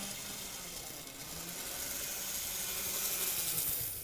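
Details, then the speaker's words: Graham Farish Class 50 (Poole-type chassis), shell off, after greasing the shaft that was rubbing on the bearing block and about five minutes of running. A light, even, high-pitched motor whirr with no squeal; the squeal appears fixed. "i can't hear a squeal so i think we got rid of the squeal which is nice"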